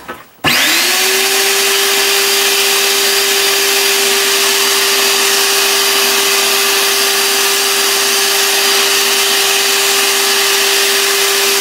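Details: Hoover Sprint QuickVac stick vacuum that worked about a week then stopped pulling debris into the canister, spraying it out the bottom: motor spins to a steady strained high whine with no pitch change; cause found to be a plugged blockage.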